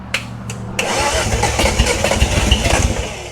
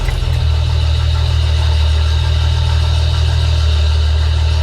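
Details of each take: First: 1971 Datsun 240Z on its first restoration start, after the starter brushes were freed: the starter grinds, then it catches with uneven, stumbling firing that won't settle to idle. The ignition timing is off. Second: Restored 1971 Datsun 240Z engine at a steady, even, low idle with no knocks, misses or rattles, and oil circulating. Shortly after, it would run a while and then die as if out of fuel.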